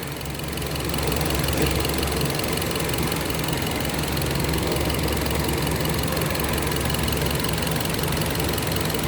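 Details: Idling car engine with uneven, stumbling beat, about three to four pulses a second, typical of a misfire; possibly an intake air leak is suspected.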